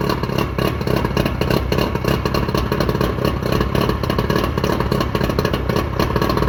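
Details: Johnson short-shaft 40 hp outboard, believed 1987, after repairs and maintenance, restarted in a driveway test: even two-stroke idle, a touch fast, with no knocks or stumbles.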